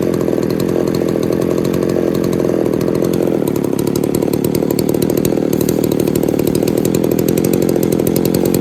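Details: Poulan 3800 chainsaw with a loose carburetor and air leak being fixed, some spit back through the carb on acceleration: steady buzzy idle with a blubbery edge, loading up while idling; possible remaining air leak.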